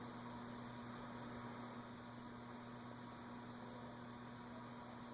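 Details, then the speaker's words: Casablanca Delta II ceiling fan (K55-type motor) whose stiff, noisy bearings were freed with WD40 without disassembly, running at medium, where bearing noise appeared before: only a low, steady hum with no grinding. "Medium was where we started to get the bearing noise before. Not getting any now."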